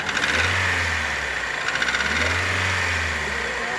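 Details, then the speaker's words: 2011 Hyundai Accent Era 1.4 petrol, 541,000 km, idling: light metallic jingling rattle on top, like a slack timing chain; engine to be removed for rebuild. Owner reported power loss, oil burning, loud running. "zincir Şıngır Şıngır yapıyor zincir sesi gibi aynı şunu o mu yapıyor Evet buymuş tamam bundan motor İncek bu bunun için motor inecek"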